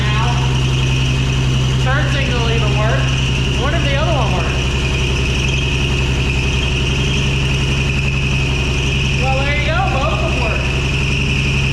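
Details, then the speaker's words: 1965 Ford F100 started after sitting 13 years, carburetor on its own fuel pump, choke working, oil pressure and alternator charging fine: steady idle with constant high-pitched squeal riding over it; engine squeal, cause not yet found. "there's a horrible squealing noise but I'm going to look into that in a second see if I can"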